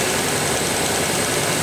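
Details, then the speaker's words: 1987 Ford Bronco 5.0 with EEC-IV ignition, misfire diagnosis: dense, very audible spark crackle as RPM is raised, firing consistently every time with no dropouts, indicating the shared ignition coil is good. "is spark this one's very very audible cracking every time it fires and and so so far I don't know about you guys but I have not seen a drop in that at all it's been consistent in every single time"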